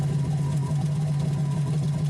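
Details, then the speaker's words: 2003 Yamaha GP1300R two-stroke jet ski on water hose with Riva Racing free flow exhaust, a little louder than stock: steady even drone with strong low buzz, no knocks or misses; normal running. "In my opinion, I feel the free flow exhaust is a little louder, but with it installed, it makes it easier to locate water leaks, it makes servicing the bilge pump easier, and it simplifies the exhaust system."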